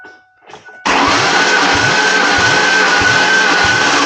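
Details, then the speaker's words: 1998 Ford Ranger 3.0L V6 that sat 10+ years in Maine, cranked during a compression test. The starter turns at about four beats a second with an uneven, lopsided rhythm. One cylinder showed no compression at first, a dead hole; a retest made 80, and a sticking cause is suspected. "That's a dead hole. Oh, really? Yeah. That's a completely dead hole."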